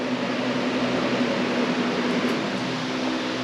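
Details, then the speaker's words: 1999 Yamaha R1 four-cylinder, hot, just after carburetor sync: steady, even idle hum with no misses, hunting or surging, carbs sound balanced; idle speed still to be adjusted; normal idle. "but um I think all is good man sounds good"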